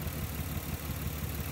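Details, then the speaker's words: 1994-1999 Nissan Maxima misfiring at idle: rough, lumpy idle; loosening this ignition coil changes nothing, showing that cylinder's coil pack is dead. "It's not making any noise now. I mean, it's still making the noise. Unloosen that one, still making the noise."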